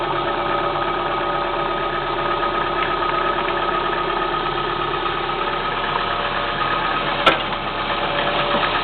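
Cold idle with a steady beat and a faint, even knock riding over the engine note; something inside is knocking until it warms up.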